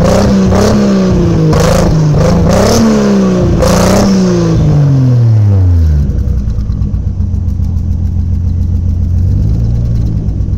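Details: Toyota 1JZ petrol engine revs then drops to a lumpy, uneven loping idle, misfiring; owner says it almost sounds like a Subaru; cause unknown.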